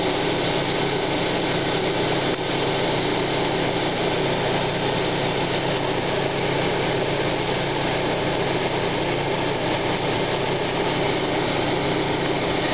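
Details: 1995 Plymouth Neon Sport DOHC at idle: continuous rough grinding rasp that fades once the engine warms up. Timing belt walks on its idler pulley; owner suspects idler bearing or water pump, unconfirmed.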